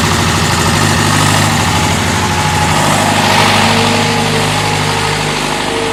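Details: David Brown diesel tractor, which had been hard to start (a flat battery was questioned, throttle linkage checked): loud, steady diesel clatter at an even idle of roughly three beats a second, smooth without stumbling; idling fine.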